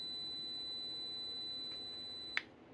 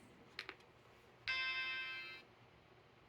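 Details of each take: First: Vintage Macintosh logic board (Macintosh Portable M5126 or Color Classic) under repair: thin steady high whistle tones over faint hiss, then a sharp click, changing as a hand nears the board; symptom of a floating line to the ASC sound chip. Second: Vintage Macintosh logic board (Portable M5126 or Color Classic) after patch wires installed and a chip removed: one clean startup chime then near silence with faint clicks, no more chime loop and no excessive current draw.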